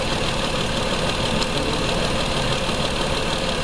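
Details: 2004 Mazda 6 3.0L V6 with codes P0304 and P2227: lumpy idle with an uneven shake and a dropped beat every few firings. The cylinder 4 injector is open circuit with a flatline waveform, while cylinder 3 shows a normal injector pintle trace.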